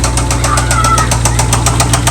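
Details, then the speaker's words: Jeep Trackhawk Gen3 Hemi V8 at idle after start with dead battery: sharp even knocking about seven times a second from the bottom end, increasing with revs; rod knock from rod bearing failure. "Okay, so we got it started and she is knocking."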